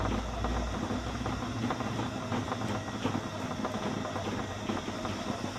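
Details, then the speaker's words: RC Blue Mini Cooper S with replaced ESC on a 2S lithium-ion battery, driven in circles: steady motor whir with faint regular knocks; wheels don't rub the body, so a flat-spotted tyre amplified by the shell is suspected. "i think i can still hear the noise and put the body shell back on"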